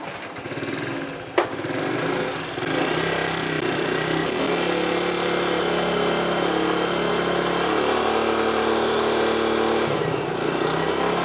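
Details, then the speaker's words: Honda CT90 single-cylinder motorcycle on an aftermarket carburetor, before swapping to a cleaned, rebuilt vintage OEM carb: idle is uneven, beat wandering and surging, and the bike is sluggish on takeoff. "Because that's the biggest problem I've had with this aftermarket one is it really doesn't idle that well, and it's a little bit sluggish on takeoff."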